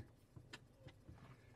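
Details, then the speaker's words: Honda CR-V parked, mic by the glove compartment: a few sharp dry clicks over a low idle hum when the brake pedal is pressed, only in Park, not Neutral; owner suspects a relay, not confirmed. "when I press on the brake pedal you hear a clicking relay that's all I could think of electronic relay saying something to the break"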